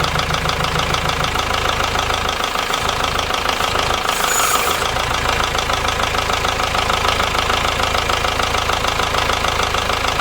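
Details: Ford Transit Mk7 diesel bought as spares or repairs, idling with rocker cover off to trace a knock: sharp, even top-end clatter at roughly 200 a minute over the idle; a bent rocker/cam part was found, owner unsure if cam is bent or unseated.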